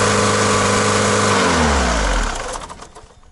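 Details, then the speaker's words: VW Mk2 diesel, new return lines fitted: runs briefly idling off the lift pump alone, accelerator doing nothing, then the note sags and drops to a stop; owner concludes the injection pump has failed and needs replacing. "so that was interesting so what that tells me is that the [ __ ] injector pump is [ __ ] basically it's just not working it needs an injector pump"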